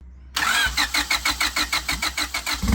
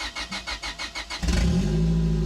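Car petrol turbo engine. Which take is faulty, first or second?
first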